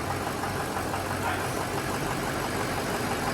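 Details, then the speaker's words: 2006 Ford F-350 6.0L diesel, first startup after an engine job with a new turbo, head gaskets, head bolts, heads and intake: cranking as oil pressure builds and the oil rails fill, on weak batteries, then it catches into a steady rumble. "all right here we go here's first startup in real time you can hear it Motors got to build oil pressure"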